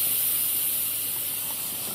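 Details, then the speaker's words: Instant Pot-style pressure cooker, quick release: strong steady high hiss tapering over two seconds as pressure bleeds off, normal venting until the pin drops. "but let's go ahead and release the pressure one more time no worries guys don't worry and"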